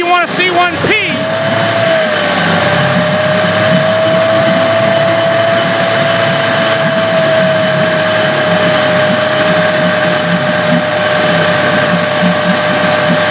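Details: Evinrude/Johnson 15 HP outboard running steady with a constant medium-high whine; the whine is less bad since the drive shaft was swapped but can still be heard and felt, source still unknown; motor deemed parts.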